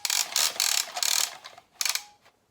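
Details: Jeep XJ under-hood light coil retractable cord reel, spring pre-wound about three turns: quick bursts of crisp ratchet clicks as the cord is pulled, then a clean latch click; reel ratchets and locks normally.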